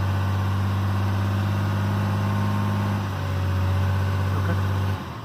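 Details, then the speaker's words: 2012 RAM diesel, VGT turbo (HE351) rebuilt, held at 2000 rpm while parked: smooth even drone, no knock, whistle or surge; healthy. "turn there's no clues go ahead and raise it to 2000 rpm"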